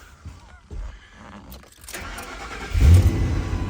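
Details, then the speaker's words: 1999 Ford F250 gas truck that quit while driving, fuel pump run with power jumped to the red wire past the suspected failed internal fuse-box relay: quiet at first, then it catches after a short crank and settles into a steady, even idle; normal start. "Which it does."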